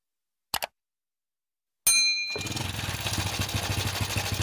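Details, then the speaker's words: Honda Supra X motorcycle, kick started: a tinny metallic rattle rides over an uneven idle thump; rough-sounding engine, cause not yet found (possible causes include loose cam chain, worn cam chain roller or tensioner). "Nah, kurang lebih suaranya seperti barusan sudah saya hidupkan ya. Kurang lebih suara mesinnya seperti itu."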